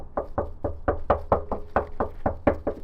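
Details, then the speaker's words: Long-parked 1990s JDM car (160,000 on the clock) that won't start, with a dead battery and a dry coolant system: about a dozen hollow knocks on the fuel tank from underneath ring out empty, with no petrol; it had fired briefly. "that's Hollow it's got no petrol all right so we're going to go get some fuel cuz we got it to fire um and the fuel tank sounds empty so hopefully all we have to do is put some petol in it and it will fire straight up"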